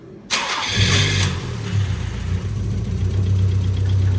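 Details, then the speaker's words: Nissan Figaro after an exhaust manifold change: short crank, then catches and settles into a steady, even low idle with no ticking from the exhaust side; sounds a lot better. "Now that sounds a lot better. Look who's back."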